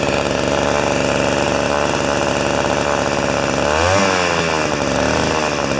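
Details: Old two-stroke snow thrower, long stored outdoors, restarted on choke with 40:1 premix: buzzy even high idle, then blips up and settles back cleanly with no misses or stumbles; running healthy.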